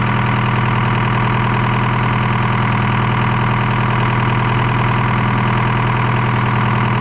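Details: Detroit 4-53T two-stroke diesel after refitting 7A77 injectors replacing failed 9G90s and fixing a loose fuel suction hose clamp; even, steady idle with constant low hum, no knocks or misses; normal idle.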